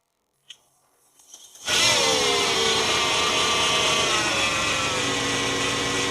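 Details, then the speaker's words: Mercedes E500 5.0 V8, about 250,000 miles, at startup: starter catch, then loud steady whirring screech over an uneven, rough idle; worn belt idler roller howling. "It makes no noise, not even any suspicious mechanical sounds except when I start it up. This superb roller here which makes a hell of a noise and the fact that it runs really rough."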